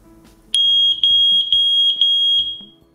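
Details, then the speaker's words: Pentatech CO50 carbon monoxide alarm, wall-mounted, test button pressed: loud piercing high beep about two seconds in a quiet room; detector working normally. "wir testen einmal die Funktion durch Drücken der Testtaste es wird gleich recht laut werden und die LED wird in allen drei anzeigeformen linken rot gelb und grün"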